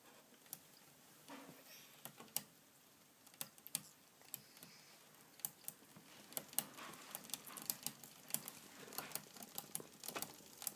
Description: I had a clicking sound in my rear cassette/derailleur as you will hear in this video. To fix it, I adjusted the limit screws very slightly and the clicking was gone.